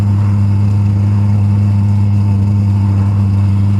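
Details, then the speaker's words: Eberspächer Airtronic D4R heater, which had locked out after five failed starts due to fuel, just as its pump starts: loud steady low drone with a buzzy edge that quietens as fuel fills the burner; normal startup combustion rumble. "Yeah, this sound will go away after there's enough fuel in the burning chamber. Yeah, it's starting to go away. It should go away completely and only hear the burning sound."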